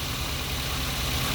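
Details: Fuel-injected car that is thirsty and lacks power, restarted after a part was replaced at cylinder number three: lumpy, uneven low rumble with no steady beat, engine still vibrating; rough idle.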